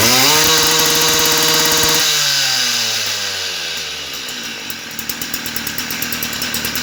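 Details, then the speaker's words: Stihl FS38 trimmer during carburetor tune-up, adjusting screw moved about half a turn from original; screams high then drops into uneven popping bursts like hitting a governor; top-end mixture suspect, richer or leaner both sound worse. "Guys, I'm a little bit confused when it it uh pick up speed very nice but it have a sound like a motorbike that run against its um a governor."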